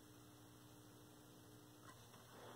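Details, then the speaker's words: 1932 Aztec cathedral radio after clearing a short on the rectifier/secondary, RF tubes showing no heater voltage: quiet steady low mains hum from the speaker with no station behind it; set powered but not receiving. "oh you hear that there's a hum from the speaker that's a good sign"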